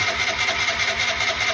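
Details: Piaggio ET4 scooter unused for years, weak battery with jump pack: high whirring starter pulses evenly about five times a second, engine never catches; crank no start, cause unconfirmed.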